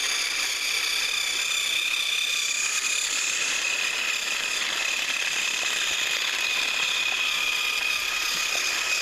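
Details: Thrift-store HiT Toys TrackMaster Percy after cleaning and motor repair, pulling two freight cars around the track: steady, even high-pitched whirr of small motor and gears, no catches or hesitation. Normal running.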